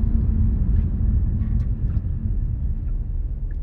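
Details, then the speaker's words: Subaru STI after greasing rear suspension: low steady road rumble as car stops and settles, no clunk from the rear anymore. "I'm sure that grease hasn't even worked in all the areas yet and this thing's not clunking at all"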